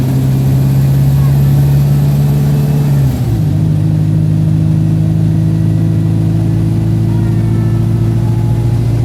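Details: Arriva North East Streetlite bus NK14 GFZ (1551), diesel, on the Sapphire route climbing Ormesby bank under load. Heavy steady drone that shifts once and barely gains revs; sluggish in limp mode, known for sneezing.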